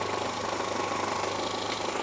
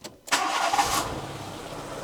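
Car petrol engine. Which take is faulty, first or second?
second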